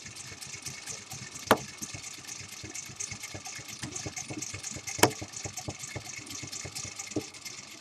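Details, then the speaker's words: Antique five-bar horseshoe-magnet hand-crank magneto from a Stromberg-Carlson wall phone, cranked faster for about 60 to 80 volts: quick whirring with light gear ticking and a couple of sharper clacks; spins freely and sounds healthy. "now we'll crank will the faster we get about 60 and go all the way we can get about 80 out of it"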